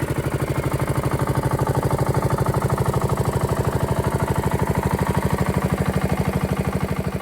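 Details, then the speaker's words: 1968 Bolens Husky 775 lawn tractor swapped to a Hatz 1B30 V single-cylinder diesel, first run outdoors after restoration with its new exhaust. Steady, even thumping with no misses or knocks; normal idle. "her first time outside after a long time her new exhaust sounds"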